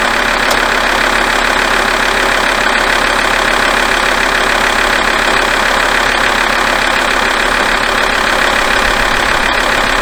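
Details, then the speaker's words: Alfa Romeo 159 diesel warming up at idle with air conditioning switched on, after fixing the squeak: steady, even clatter, no belt squeal or chirp; fixed, running as well as before. "That is fixed. The car's running as well as it did before, and hopefully I'll be able to get into it at this point and go for a nice long drive to Portsmouth and Rugby and Liverpool, because that's exactly what I'm doing in a couple of days."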